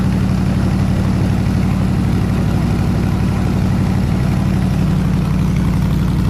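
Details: 302 V8 air-compressor engine at warm idle (160 degrees), 9 psi fuel pressure, on re-ended plug wires: steady, even, low, smooth burble with no misses or knocks; normal healthy idle.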